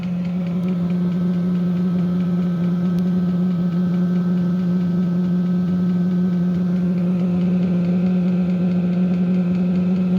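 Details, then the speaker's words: 5-8 kW diesel heater first test run starting up, very strong diesel smell, heater 9°C and exhaust 13°C at start: loud, steady jet-like roar with even low hum, no surging or popping; normal running, warm air quickly. "Yeah, this thing sounds like a damn jet engine starting up."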